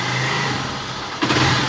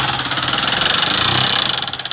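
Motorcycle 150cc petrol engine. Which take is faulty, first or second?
second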